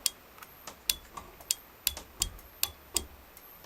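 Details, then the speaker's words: Homemade M301 fire alarm control panel: turning the pull station on and off switches its relay. Crisp, dry clicks about two per second, showing the relay is switching cleanly. "that turns off the pull stations actually go to it relay as well you can hear if I turn on and off the pull station a relay will turn on"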